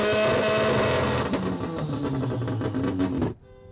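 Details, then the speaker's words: Semi-peripheral-port two-rotor rotary Corvette on a Haltech ECU, first startup, revving hard. Stutters and breaks up near the top in uneven bursts instead of a clean rise. Misfire under load because two ignition coils were swapped. "And so you can hear the car breaking up a little bit."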